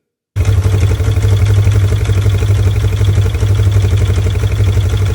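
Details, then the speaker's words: Polaris XP 1000 with OEM primary clutch, running: fast rattling clatter about four per second over the engine, from the gap between spider buttons and towers as engine reverse pulses make it oscillate; CVT primary clutch spider button clatter. "That's what an OEM sounds like. Now part of the noise that you hear is from the space between the spider buttons and the towers, but one of the main reasons that is because an engine has reverse pulses."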